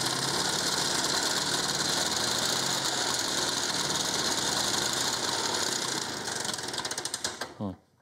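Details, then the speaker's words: 1950s Ransomes 20-inch Antelope Mk1 lawnmower, 98cc two-stroke with very low compression, started with a drill: high buzzy run briefly, then stutters, misses and dies within seconds; won't idle, likely worn piston and rings. "doesn't want to idle let's try that again ah damn it"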